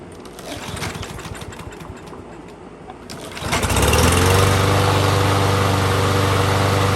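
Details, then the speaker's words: Troy-Bilt TB200 lawn mower with Briggs & Stratton plastic carburetor, jets widened, stale gas drained and fresh gas added: catches and settles into steady even drone with no misses; normal running. "so so i just washed it off let it run for about 15 minutes runs good no real issues he'll be happy"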